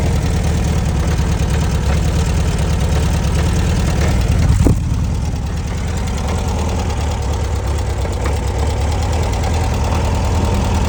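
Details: 1966 VW Beetle 1300cc with an oil leak, at idle: steady low idle with an irregular clunk under it, a few per second, plus one sharper knock; the cause is unknown.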